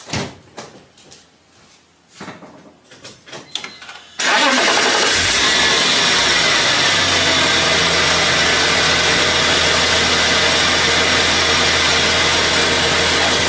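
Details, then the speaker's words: BMW E46 with M54 engine, warm after driving, start then idle: faint continuous whirring hiss from worn AC belt tensioner and idler pulley bearings, louder when cold in the morning; pulleys to be replaced. "when I start my car up you can hear a very distinctive worring spinning noise it's the bearings from those tensioners and pulley they're going out"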